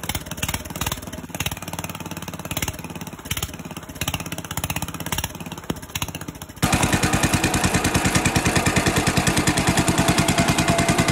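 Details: 1965 Cub Cadet 100 garden tractor, first start in years, only fix a power wire run to the coil positive: single cylinder chugging, picking up to a steady even beat of quick pops, no misses; running normally.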